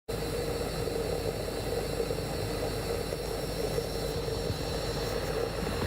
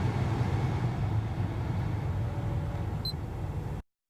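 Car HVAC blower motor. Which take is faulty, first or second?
first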